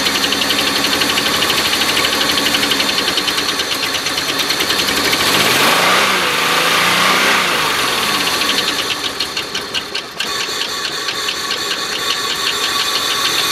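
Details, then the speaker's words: Oldsmobile Silhouette van, jump-started at idle: sharp ticking about four per second over rough stumbling idle, fading when revved; probably not rod knock. Cause found: loose rocker arm bolt causing noise and misfire. "Still drives and everything, just runs a bit rough because of that knock. Kind of goes away when you rev it up, so I don't think it's a rod knock."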